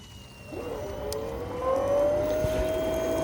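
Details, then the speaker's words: Small VSD pump with built-in pressure tank, set to 2 bar, very small load drawing about 190 W: a quiet, clean motor tone climbs smoothly as the drive ramps up, then holds steady with no rattle; normal running. "Okay, there's running at a very small load. It's actually very quiet. Wow."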